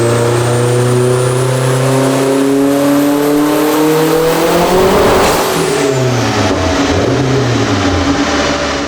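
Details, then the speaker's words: Turbocharged Acura RSX Type S on dyno with stiffer wastegate springs raising boost; hard pull climbs then stutters and breaks up near top while data log shows nothing wrong. Owner suspects spark blowout from coil packs; misfire under boost, not confirmed. "all right so I think I'm going to I want to blame that spark blowout I think pretty much sounds like spark blow everything in the data log is mint nothing's wrong"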